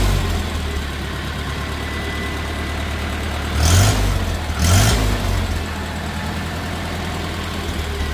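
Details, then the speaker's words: Rebuilt 1950 Farmall Cub engine with pop-up pistons at first startup: light quick ticking over a steady idle that quickens with revs, from loose exhaust manifold bolts leaking; tightening them fixed it. "So the first startup that I did on it, the last video you guys heard, or the last part of this video, you heard that little tick, tick, tick, tick, tick sound. The exhaust manifold, these two right here were just a little loose, so I had to tighten these both up."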